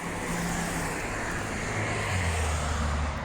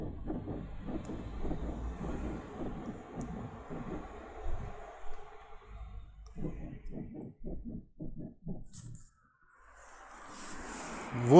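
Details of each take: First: VW eBora/eLavida/Jetta driving after the rear door rubber seals were treated with Mannol silicone spray: a steady low road rumble with no more of the seal squeak over bumps. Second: VW eBora/eLavida/Jetta parked, body rocked by hand to simulate bumps: short quick rubbery rear creaks from a rubber seal rubbing the body.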